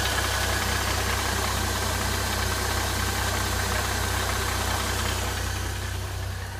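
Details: Mercedes M272 engine, bonnet open, after a cold start that ran smoothly: once warm, a light metallic rattling, about two or three taps a second, appears, seemingly from the left side and slightly diesel-like. Source unknown.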